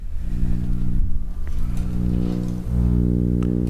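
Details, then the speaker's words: Shure SM7B mic through ART Tube MP preamp and Cloudlifter: deep, heavy droning hum with a buzzy edge swells as a 9-volt adapter is moved near the mic and gear; its internal coil transformer's field is being picked up. "So now the reason for that is EFI noise It's essentially, there's a coil transformer inside of the 9-volt adapter, and its proximity to any of these wire"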